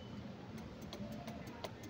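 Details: Yamaha Mio Soul i125 won't start: pressing the starter gives rapid sharp clicking with no cranking; the starter wire was pulled too tight, stretched by engine movement, and broke.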